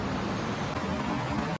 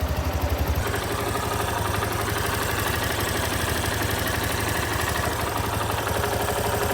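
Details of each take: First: Yamaha Lander 250 single-cylinder at 10,000 km, after the faulty chain tensioner was replaced under warranty: even idle with a smooth low hum and no ticking or rattle. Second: Yamaha Lander 250 single-cylinder at 10,000 km, idling before repair: a busy metallic clatter over the exhaust beat, thought to be valves but actually a defective cam chain tensioner, replaced under warranty.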